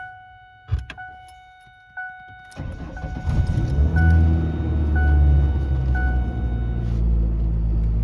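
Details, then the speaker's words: 1996-2001 Ford Ranger 2.5 manual, in neutral with parking brake set, after valve cover gasket job and throttle body cleaning: door chime, short crank, fires cleanly into steady even idle, sounds good; normal start. "Sounds pretty good with that throttle body cleaned up."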